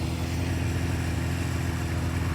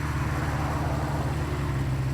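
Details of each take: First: 1976 Honda CB550 chopper, warm, running for the first time after sitting 48 years: steady low idle with a slightly uneven, loping beat, running well overall, but the idle mixture and speed need adjusting. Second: 1976 Honda CB550 four, first running after sitting 48 years, carburetors being adjusted: low, steady idle with an even beat and no misses; smooth healthy tickover after idle adjustment.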